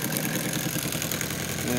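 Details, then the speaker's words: Homemade two-cylinder Bedini-style motor with squirrel-cage generator, neodymium bar-magnet rotors: fast, even electrical ticking with a faint hum at a constant rhythm; both motors synced and running normally. "syncs up good uh both motors are synced up"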